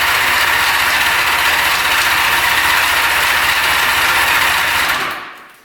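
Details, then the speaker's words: 1975 Honda Goldwing 1000 stored 25+ years, gas poured down plug holes; steady cranking almost four beats a second, tries to catch then dies; fuel starvation, clogged tank gives no gas on reserve or on. "Not quite. So it looks like we weren't getting any gas when it's on reserve or on."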